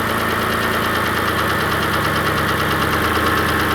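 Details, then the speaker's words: Engine with cold-start tick turning to warm knock, after 4–5 minutes idling with Lucas heavy duty oil stabilizer added; faint fast tick about three per second, little change; mechanical fault not fixed, cause unknown: engine tick at idle. "I mean I guess maybe a little difference but it's not taken care of whatever the actual mechanical failure problem is"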